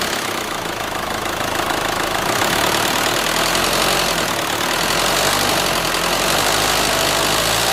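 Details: 2004 Renault Scenic 2 1.9 dCi diesel running with a fast, fairly regular knock of about four per second over harsh clatter. An abnormal internal engine noise, cause not yet identified; the engine is to be removed, checked and replaced.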